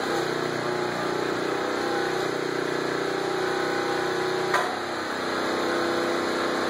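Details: Portable generator powering a transformer-type arc welder set at 35 amps, tacking an old headboard: steady high-pitched small-engine drone sags in pitch as the arc strikes, then recovers; generator bogging under welding load, arc expected sticky.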